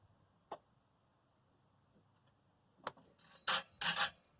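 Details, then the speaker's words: 2012 RAM diesel after VGT turbo rebuild and reinstall, key on with engine off: quiet background, then two short buzzing whirrs as the turbo vane actuator does its normal self-check sweep. "that noise I haven't heard in a long time all right did the wait to start light go out"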